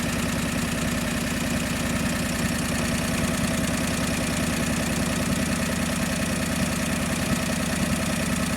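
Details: John Deere 445 twin running cold, still warming up, during coil test; uneven, lumpy idle with irregular beat and no clean rhythm; owner suspects too much fuel, overly rich mixture.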